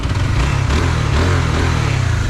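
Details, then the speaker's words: Honda CB150 idling for break-in after engine refresh with new block, valves, valve seals and gaskets: loud steady single-cylinder putter, even firing, no rattle; now quiet, previously smoked and clattered. "So tahimik na ulit yung kanyang engine kasi dati umuusok na to, tsaka maingay na yung engine nya, makalansing lang."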